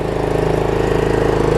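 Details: Troy-Bilt Pony riding mower, unidentified small engine (possibly Loncin), running after a loose starter-solenoid connection was fixed and a good battery fitted: steady, even single-cylinder putter at a fast idle, no knocks or misses; healthy.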